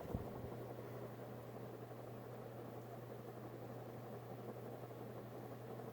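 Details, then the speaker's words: Vintage Hunter/Robbins & Myers Original ceiling fan, model 22274, oil-bath pancake motor, starting on high: even startup hum and whir; a slight cyclic buzz stopped after tightening the globe and loose faceplate. "rnm ones did have startup sounds and this one does too so it does have a slight cyclic buzz but that went away when I tighten the globe a little bit"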